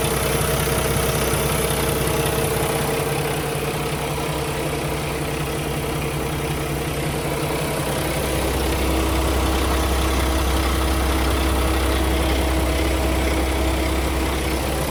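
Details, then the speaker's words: 2016 Kenworth T680 with a Paccar MX13 485hp and 13-speed manual at idle. An even, settled low rumble with no top-end ticking or knocking, and no blow-by at the filler. Healthy engine. "Sounds perfectly normal to me. Good, healthy engine."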